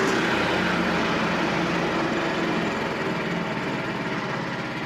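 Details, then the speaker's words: Frontier OS27 sawmill small engine making a ~24-inch-wide, 7-inch-deep cut in white pine with the carriage creeping slowly; steady, slightly labouring drone, revs easing gradually as the operator listens to engine RPM under load; normal healthy running. "Occasionally I'll turn the throttle up or the speed up of the carriage, how it moves, just to see and hear the engine. But that's what I'm listening to. I'm listening for the RPMs of the engine."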